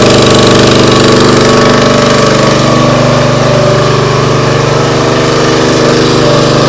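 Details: Briggs & Stratton CR950 208cc engine on a Diamond 25-ton log splitter, running after carburetor cleaning for a no-start after a couple of years unused: strong, steady single-cylinder thrum at constant speed, no surging or stumbling.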